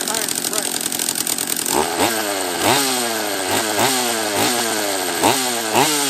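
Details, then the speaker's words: Husqvarna 44 chainsaw after a refurb, second heat cycle, with fuel still leaking near the petcock: it surges and sags about once a second, blubbering instead of holding a clean rev. Mixture too rich; carb screw turned back about an eighth of a turn. "oh it was rich that's what it was let's turn it back a eighth of a turn or so"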